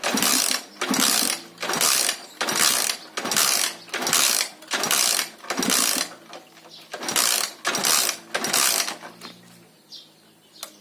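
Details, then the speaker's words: Alfa Lux 110cc moped that won't start despite fuel and spark, tried first without choke, valves already adjusted. Light, even kick-start strokes about once a second with no compression resistance and no firing: no compression. "Щось не хоче він запускатися. Клапана відрегульовані, але все одно компресія в нас не з'явилася."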